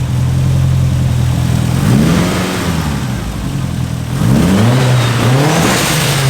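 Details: Turbo engine on road test with boost turned all the way down (wastegate pressure): pulls, then breaks up and stumbles as boost builds, cutting in and out; owner suspects electronic or fuel issue, coil sub-harness checked. Unconfirmed.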